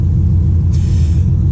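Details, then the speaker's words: 1996 Impala SS with LS1 swap, after re-plumbing the deleted PCV vacuum line: deep, steady V8 rumble holding an even idle on its own, no hunting or surging; owner thinks the IAC relearn or PCV fix cured it; normal idle. "But it's holding its idle on its own now. So the ultimate test will be tomorrow, but I think it's fixed."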